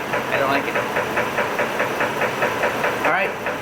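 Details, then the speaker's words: 2006 Chevy Trailblazer 4.2 L at warm idle after an oil additive failed to quiet it: sharp, regular deep knock about five times a second from the bottom end; owner calls it a mechanical problem needing repair or engine replacement; cause unconfirmed. "that noise is that right there is engine mechanical problems this engine needs to be fixed"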